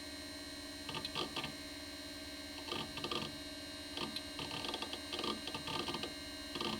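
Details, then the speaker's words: Amiga 2000 with GVP A2000-040 accelerator, copying files to floppy disk; clusters of light, fast ticks over a steady electrical hum from the right side, possibly the hard drive, source not confirmed. "can you hear that funny ticking yeah right side"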